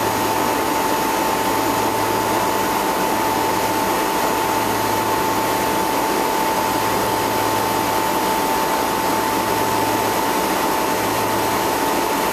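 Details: Newly fitted two-speed (2/4 pole) Bristol compressor at commissioning, after condenser leak repair and new suction line: steady mid-pitched hum over fan rush with a gentle slow pulse; runs smoothly.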